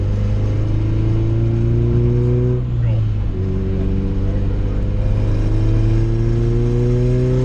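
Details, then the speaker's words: Turbocharged B20V engine in a Honda EK on an S300 tune with boost raised; loud drone under boost falters and stutters briefly mid-clip, then picks back up; breakup suspected from spark plug gap, not confirmed. "you hear it break up hopefully you guys can hear that on camera but she started stuttering a little bit"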